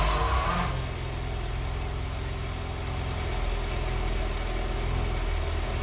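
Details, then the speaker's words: 1982 BMW 320i (E21) after reinstalling gas tanks, fuel pumps and main fuel line, cleaning the injectors and fixing a vacuum leak: steady, even idle with a smooth low hum and no misses, knocks or hunting; nicest it has run. "that's that's a quickest and nicest it's ever sounded I'm a little bit shocked at the moment"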